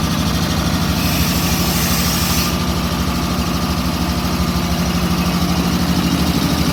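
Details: WW2 Ingersoll Rand ship service air compressor, built January 1943, in the B4 engine room of USS Stewart DE-238: a steady, even low chugging about two and a half beats per second with no knocks or rattles; normal running.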